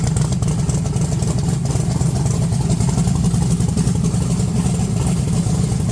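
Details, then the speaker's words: 1982 Chevy S10 V8 with low vacuum and 60 psi oil pressure, revving: the rumble stumbles and breaks up right off throttle; a bad misfire, suspected bad plug wire or vacuum leak, not confirmed. "but right off thr right off throttle it it goes like it's misfiring really bad whenever you rev It Up"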